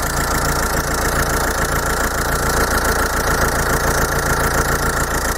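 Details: Normal idle of a Bosch common-rail diesel during a rail pressure sensor test, with rail pressure about 305–307 bar. Steady, even light injector clatter at three to four beats a second with no misses.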